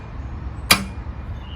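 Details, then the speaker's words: 43-year-old 1979 BMW R80/7, with substitute battery, neutral light on, clutch pulled: one sharp click then nothing, engine never cranks; starter solenoid click, no crank, starter suspected stuck. "still nothing sounds like the solenoid starting I think the starting rate is stuck to Motors on top of the motor I think it's just stuck"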